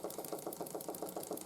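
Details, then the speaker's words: 1914 Ernst Plank 114/1 steam engine, steamed up after running gear rework with a new aluminium plug press fit: crisp, even knocks about seven or eight per second keeping time with each stroke; the running gear knock remains but is much quieter than before. "as you can hear the knocking is still there try and fix that with but it's a lot quieter now than it was before"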